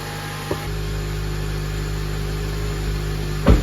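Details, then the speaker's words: 2007 Honda Accord, K24 engine, manual, after clutch and bad throw-out bearing replacement: first start, steady even low idle hum, no whirring or grinding from bellhousing; the earlier horrible noise is gone, normal idle. "Oh, yeah. Not only is it running, but that horrible noise is gone."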